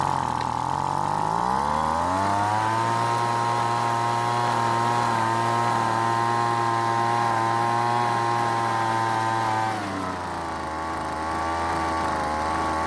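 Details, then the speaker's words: Weed Eater two-stroke leaf blower after long storage, L and H carb screws turned out for more fuel: revs to flat middling speed, won't climb, sags back; throttle weak, needed more fuel from H screw. "this time it stayed running but the throttle wasn't responding much which meant it needed more fuel from the h screw"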